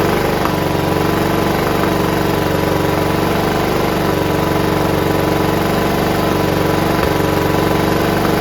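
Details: John Deere RX75 rear-engine riding mower; kill switch wiring not yet working so it won't shut off: smooth single-cylinder idle, steady even beat, no misses or knocks; normal idle, no carb clean needed.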